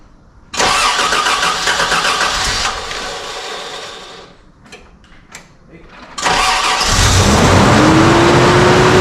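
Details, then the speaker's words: Toyota FJ62 Land Cruiser, first start after a replacement engine swap: it cranks, catches and races to an extremely high idle, suspected to be the accelerator cable; an exhaust leak is also present. "all right she's running that's great unfortunately the idle is extremely high and I have a feeling that is our Accelerated Cable right here"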